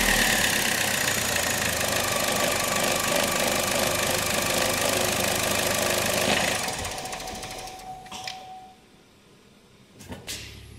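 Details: 2011 Opel Meriva, stone-cold engine on a cold day, hard to start on cold mornings; starter churns evenly nearly four turns a second for over six seconds without catching; extended crank; no fault codes stored.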